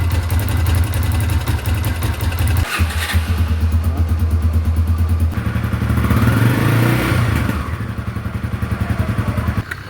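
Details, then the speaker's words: Honda Tornado single-cylinder motorcycle before valve adjustment: light quick sewing-machine ticking over the beat, rising with revs; valve clearance too loose, specified 0.12 mm intake, 0.15 mm exhaust. "Reparem no barulho de máquina de costura."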